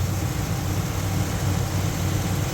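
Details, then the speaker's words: Holley carburetor with newly installed electric choke, fast idle screw on biggest step, engine fully warmed up at 1,400 rpm: steady, even low rumble with no misses, knocks or hunting; normal fast idle. "I've got 1,400 RPM with it on the biggest step with it fully warmed up. And for right now, that's going to work just fine for me."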